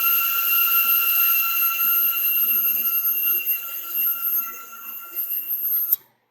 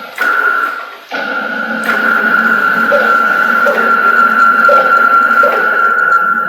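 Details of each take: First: CNC Y slave-axis stepper motors taken off the chassis and run on their own: steady, clean high-pitched whine with even pitch and no rubbing or excess friction. They sound perfect compared with when mounted, ruling out the electronics. Normal stepper motor running. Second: CNC router Y-axis with slaved gantry motors, PureLogic PLCM-E1B controller, jogging back and forth: constant stepper whine with a soft thump surging about every three-quarters of a second, pulsing at one gantry end then the other; traced to anti-backlash nut.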